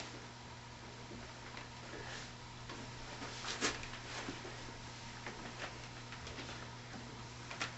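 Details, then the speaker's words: Soft, even rubbing with occasional faint clicks from a soft pitch lap, now broken in and polishing smoothly, while correcting astigmatism on a 200mm f/3.9 telescope mirror. An occasional squeak is normal. "This lap is now working fairly smoothly, which is a good thing. It doesn't take long to break a soft lap in if it hasn't been polished for a little while. And it's polishing fairly well right now."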